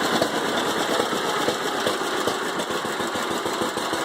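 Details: 1945 John Deere H two-cylinder tractor, not started in 20+ years, carburetor and magneto cleaned, started despite bad starter: slow, even putt-putt firing steadily without misses; normal idle.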